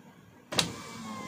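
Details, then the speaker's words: 2023 Toyota Avanza G 1.5 automatic, driver's front power window: one sharp click as the glass starts moving up or down, then the motor's steady whir. "suaranya dia cetk gitu ya naik pun gitu sama turun naik"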